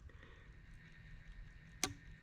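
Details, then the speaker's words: Old Ford analog dash clock, cleaned and powered up with the time set: a quiet background, then a single crisp snap as the self-winding mechanism trips. The clock is working and winding normally. "I set the time on it. We'll see if it keeps time. It's definitely working and winding."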